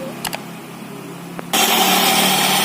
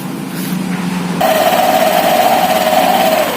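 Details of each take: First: Honda Vario 150 FI scooter with CVT cover opened, rear clutch checked normal: starts and holds a raspy, rough whirr from the drive side at idle; noisy CVT traced to the drive belt, checked for hardening, wear and dirt. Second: Honda Vario 150 FI scooter after fixing a noisy CVT by washing the variator, rear pulley and belt and replacing one part: it revs and settles to an even, steady drone without scraping or rattling; CVT now runs smoothly.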